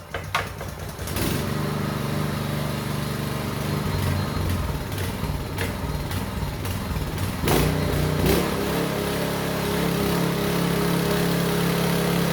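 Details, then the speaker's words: Small petrol engine on a concrete vibrating needle, revived after carburetor cleaning, choke on: catches after a brief crank and settles into a steady, slightly lumpy beat that holds even; running well. "Well, that's okay, it runs really well."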